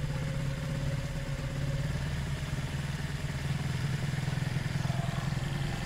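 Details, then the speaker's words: Zontes 125 motorcycle, warmed up with choke off, after its tank full of rust, twigs and water; uneven, stumbling idle that keeps faltering; owner suspects kinked fuel pipe limiting fuel flow, fuel starvation. "the choke is off now and it's still a bit stuttering but we have to see what's going on"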